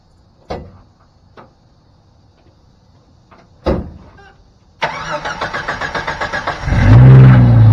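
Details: Jeep Dana 35 rear axle, camera strapped to the differential while driving down a driveway: harsh, rhythmic grinding growl that builds with speed; the differential is failing and will be replaced with a Ford 8.8.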